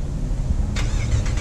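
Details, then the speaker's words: Cammed 2016 Dodge Charger R/T V8 with tuning issues, warm start in 90-degree weather: loud, deep rumble catches cleanly and fires right up, idle takes a moment to settle into a steady choppy pulse; healthy start, significantly louder than before. "it takes a minute to start chopping as like the idle um as the idol kind of finds its place but uh jesus it is significantly louder but it fires right up so that's the beautiful thing"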